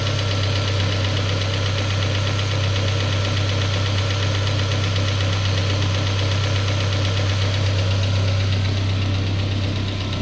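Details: Peugeot 407 2.2 petrol, cold idle, Total 9000 5W40 oil: steady low drone with light, regular tapping. It appeared after ring replacement, valve lapping, valve stem seal replacement and idle-air channel cleaning. Knock of unknown origin.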